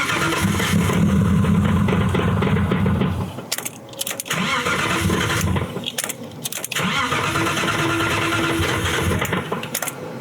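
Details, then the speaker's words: Boosted BMW E36 first start attempt after cam work: starter churns steady chugs about four a second in long bursts, never catches; cylinders possibly three, four and five getting no signal, suspected wiring harness fault. "We did some digging to figure out why the car didn't want to start. And basically, it is not running on three cylinders."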